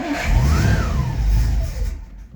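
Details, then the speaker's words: 1963 Studebaker Avanti R2, first start after storage: the engine fires only on starting fluid, revs briefly, then dies within two seconds, not yet running on fuel. "that's a good sign that's starting fluid but we'll see if we can get to run on fuel so making progress"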